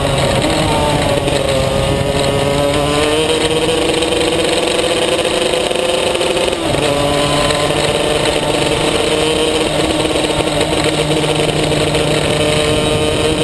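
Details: Maxter KZ2 two-stroke kart engine, clutch test 2; high wail creeps upward then flares as revs climb without the drive taking hold; slipping clutch.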